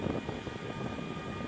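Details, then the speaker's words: E-flite SU-30 RC jet at idle: a soft, even fan whir with a faint hiss. The left ducted fan runs normally while the right fan does not, with a suspected busted ESC or fried motor. "So I'm going to go ahead and turn it on to idle. And as you can see, the left engine is working."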